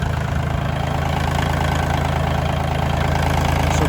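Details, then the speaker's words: 1985 Kubota L2550 31 hp diesel tractor after blowing debris out of a blocked fuel line and priming the system: steady, even idle with a regular low chug, about three beats a second, no misses or knocks; normal diesel idle. "Now that it has fuel flow, it's happy. Ready to do its job again."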